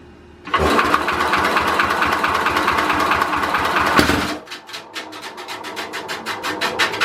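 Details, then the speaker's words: 1967 Simplicity Landlord 2010 lawn tractor, timing found way off, first start attempt: fast busy cranking about four seconds, then slow fading ticks as it stops; flywheel spins but crankshaft doesn't, a sheared flywheel key. "That sounds like we just broke something. Let's go see if the flywheel and everything is moving whenever we give it a start."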